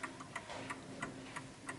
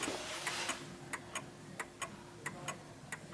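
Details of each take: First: 1950s Smiths Enfield striking mechanical mantel clock ticking in beat again after adjusting its center of gravity for the surface, having previously stopped; crisp even ticks about three a second. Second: 1950s Smiths Enfield striking mechanical mantel clock tilted onto an uneven surface: lopsided tick-tock, tick longer than tock, and the clock slows and stops because it is so uneven. Out of beat.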